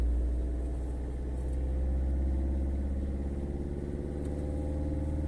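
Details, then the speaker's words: Warm (90°C) Peugeot 5008 diesel at idle outdoors during forced DPF regeneration for a failing emissions system; revs climb on their own over a steady low rumble, expected to rise toward 3000–4000 rpm. "Voilà, vous voyez le moteur il accélère tout seul. Vous entendez ? Le moteur il prend du régime."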